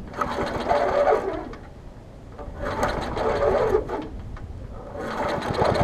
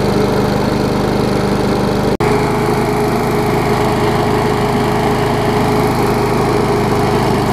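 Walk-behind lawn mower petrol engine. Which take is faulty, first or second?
first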